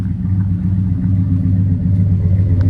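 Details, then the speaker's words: Auction V8 from a rear-end-damaged project truck that was apparently sorted mechanically, heard on an exhaust walk-around: a deep, smooth, even idle burble with no misfire or ticking. It idles normally and sounds really good. "Just wanted to take a minute to really let that sound marinate. She sounds good, guys. She sounds really good."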